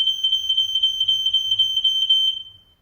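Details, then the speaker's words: Newly installed interlinked smoke alarm, test button pressed: a piercing, fast-warbling high-pitched tone for about two and a half seconds, then it cuts off. Normal alarm test; the linked upstairs unit follows. "just press it until you hear the audible alarm because it's an interlink system we'll make sure the one upstairs is going off as well"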